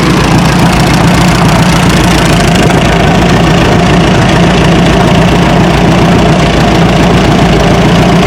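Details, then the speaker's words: Minneapolis Moline side-valve tractor at idle holding 25–27 psi oil pressure: a dull, regular knock rides under the exhaust beat. Owner suspects rod or main bearings (lower end) rather than rocker arms, not confirmed. "You can kind of hear it rattle a little bit. So, I'm not uh I'm not 100% that it's the rod bearings or or any of the main bearings, but that's kind of what it sounds like."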